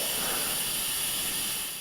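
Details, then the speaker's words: Jeep ARB air locker system, compressor cycling about every 10 seconds: steady sharp hiss of escaping air then cutting off, leak traced to the axle locker seal housing (owner leans to seal housing over O-rings he believes were recently replaced). "i think i found the source of found the source of my leak i i've tried listening up here i don't hear coming from here definitely coming from the seal housing area"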